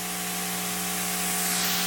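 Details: Ya Xun 902+ hot-air rework station running normally with a thin nozzle: steady loud hiss of rushing air.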